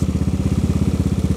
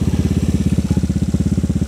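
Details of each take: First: Honda Vario carburetor scooter bored to 130cc, idle with deep, bassy thumping exhaust beat, same exhaust as before; hard starting, valve clearance noise also noted. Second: Honda Vario 110 carburetor scooter bored up to 130cc, 2007, after engine rebuild; steady single-cylinder idle with deep, slightly bassy exhaust note, no misses; runs normally.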